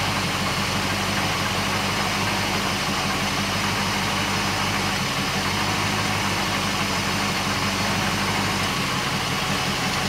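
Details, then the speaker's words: Porsche 928 with CIS injection being retuned for a 1500–1800 rpm high idle; mixture screw turned about another eighth leaner; steady idle with an occasional stumble; idle misfire from a lean mixture. "I think we can hear it now missing so I've done about another eighth of a turn and it's missing"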